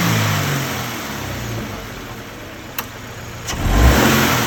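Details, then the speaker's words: Subaru BRZ FA20 engine, loud pops under torque when pulling away or on hills, worsening over time; revving with sharp isolated pops, intake backfire traced to a missing direct injector seal. "You fixed it. Yeah, there's some pretty intense noises. So I've nailed it down to the engine. We're not quite sure exactly what it is, but it sounds very much like pre-detonation or like backfires from the intake."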